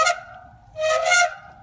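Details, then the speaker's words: Trek Crockett 7 bicycle with TRP RevoX cantilever rim brakes, ridden slowly then faster: loud flute-like squeals as the brakes bite, getting louder at speed; whole mechanism replaced and readjusted with equal tension, noise persists. "Go faster. Gets even louder. Gets even uglier."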